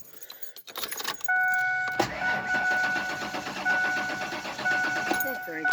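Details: 1996 Ford Explorer Sport, towed in, battery dead from hazards left on: steady fast cranking with a warning chime but it never fires; crank no start, fuel pump suspected, not confirmed.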